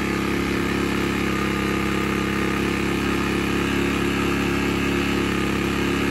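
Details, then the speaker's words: Sportsman 1000 W max / 800 W running inverter generator in economy mode, space heater on low: hard strained drone pulsing about four times a second; overload light came on briefly but it handled the load. "as you guys saw there we got a little bit of an overload light but it was able to handle the load"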